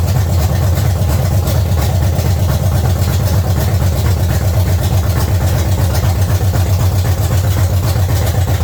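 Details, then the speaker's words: 1970 Chevy C10 with 305 small-block after new intake manifold and carburetor: deep, steady V8 idle, even low rumble, no misses, knocks or ticks; running well, though timing still to be checked since the distributor clamp was installed upside down. "yes hopefully you tell our camera wasn't too loud but it's running amazing definitely gonna check or set the timing"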